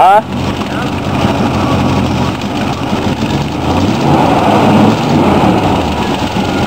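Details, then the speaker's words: 1947 Ford custom hot rod V8 after new header gaskets: uneven idle rumble with raspy puffing edge from the exhaust, still leaking at four worn glass pack muffler gaskets. "I can still hear where they're leaking around the glass packs"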